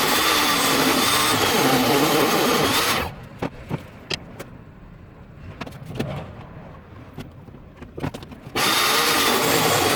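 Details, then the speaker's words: Minleaf ML-MS1 mini portable table saw cutting plywood, measured around 75–76 dB: loud, steady high whir while cutting, then quiet between cuts; smooth, normal cutting operation. "i measured the decibels it was sitting at around 75 76 decibels so it's actually not too loud"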